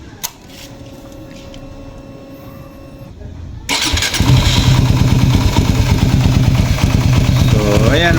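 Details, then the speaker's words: Raider 150 FI motorcycle at about 43,000 km, just after cam chain tensioner reset: starts and settles into a steady idle with only a light, even tick left, attributed to the engine's age; cam chain now near normal. "Kaya naman hindi 100% nawawala yung lagitik niyan mga kaibigan, kasi luma naman na kasi yung motor ko."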